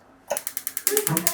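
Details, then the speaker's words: Gas stove auto-ignition that had worked only intermittently: test after connecting the 4-pole ignition box. Crisp, even clicks about ten per second with no gaps, sparking properly on every burner. "Sparking ഒക്കെ എല്ലാത്തിലും കൃത്യമായിട്ട് work ചെയ്യുന്നുണ്ട്."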